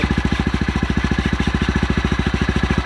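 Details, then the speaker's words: Honda Grom MSX125 single-cylinder, first start after new lithium-ion battery install; quick, even putter at idle with evenly spaced pulses, no misses or rattles; surprisingly quiet, idling cleanly. "come on yeah nice we're on baby it's so quiet i was expecting like a lot of a lot of noise"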